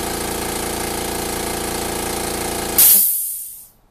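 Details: Makita MAC700 air compressor, new out of the box (2 hp, 2.6 gallon tank, oil-lubricated), filling from 0 psi to about 130 psi in about 59 seconds; steady fast pumping thump, about 3.5 beats per second, then cutoff with a hiss; normal compressor running.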